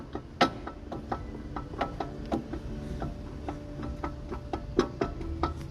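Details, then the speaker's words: Ford Fiesta front suspension rocked by hand to show play: sharp irregular clunks from a worn strut top mount and bump stop; the fix is replacing the strut kit (bump stop rubber, boot and mount). "Mas t escutando barulho, né? O que que vai ser feito aqui? As troca dos kit amortecedor."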